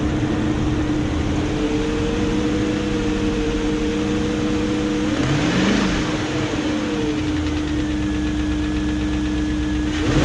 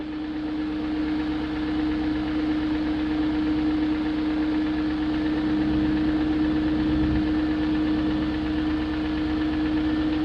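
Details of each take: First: 2001 BMW E38 740i V8 after timing chain guide replacement and resealed VANOS units, hoping ticking/dieseling is gone: smooth steady idle rising cleanly with revs, no ticking on top; normal running. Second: 2001 BMW E38 740i after rebuilding the VANOS units with Beisan kits, replacing VANOS distributors and camshaft gaskets, lifters checked, plugs tight: steady idle with light quick tick about three or four a second; top-end ticking persists, cause unknown.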